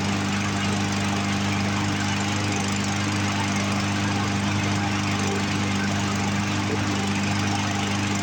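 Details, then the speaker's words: Poulan Pro push mower with Briggs 550EX single-cylinder engine, found abandoned: runs on its own pulling fuel from tank but wouldn't prime, steady buzz with uneven stumbling beat, skipping misfire; carburetor needs to come apart. "Didn't want to prime, and it's still kind of running a little rough. I don't know if you guys can hear it skip on camera or not."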